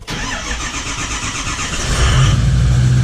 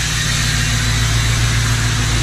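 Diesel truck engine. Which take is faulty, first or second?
second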